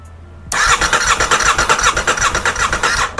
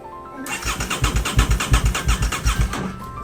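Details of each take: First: Rebuilt crashed 2023 Aprilia RS660 with no fuel tank, fuel or coolant, after immobilizer fix: brisk, even starter cranking for about two and a half seconds with no drag or clatter; cranks cleanly, cannot start without fuel. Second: Rebuilt 2023 Aprilia RS660 after a crash: the starter churns the engine in even pulses, about three per second, in two bursts, but it never catches; no fuel pump prime is heard at ignition, so it cranks with no start.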